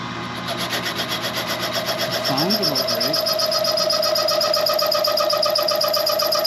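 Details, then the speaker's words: Machining the rear main seal bore of a Chevy 400 for line honing: steady high ringing squeal with fast pulsing flutter, the cutter chattering because it has no clearance or rake behind the edge; the tool was then sharpened. "It's working, but I don't really like the rake on the back of that cutter cuz it's that's why it's chattering because there's no clearance on the back."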